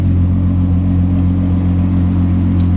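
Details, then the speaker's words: Idle after installing Autotech 262 cams and new spark plugs, no matching chip yet: steady, even low rumble with no misses, lope or top-end ticking; smooth, healthy idle, described as running much smoother than before. "Running nice and smooth on this side. Everything is nice and smooth back here."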